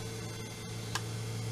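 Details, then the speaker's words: 24 V DC treadmill motor with speed control circuit, fitted to a Simat 101 lathe, turned up to a decent speed: steady electrical hum with a constant whine, no knocking or grinding; normal running. "can hear it going a little bit faster now that's the motor running at a decent speed"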